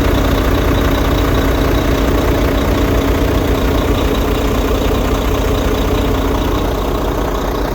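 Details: Truck after replacing an internally fried engine computer that caused a no-start: steady, even idle with a deep low rumble and no misses or knocks; engine running smoothly and healthy.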